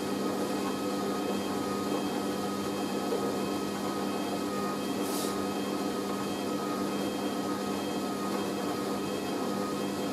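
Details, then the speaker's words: Hoover A3060 Electronic 1100 washing machine on Minimum Iron 50ºC with Bio Prewash, spinning after the load rebalanced; steady, even whine and hum at constant level, no thumping or rocking, a smooth balanced spin. "ah better i think that sounds"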